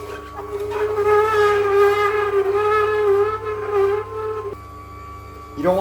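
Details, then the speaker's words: Ninja cold press masticating juicer juicing dry leafy greens (dill, parsley): loud wavering mid-pitch squeal rising and falling for several seconds; auger squeak, blamed on greens' poor lubricating texture. "But, as you can hear, it does squeak quite loudly."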